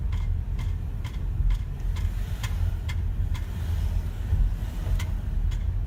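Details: BMW X5 engine idling: sharp, regular clicks about twice a second over a low idle rumble; clicking noise, cause unknown.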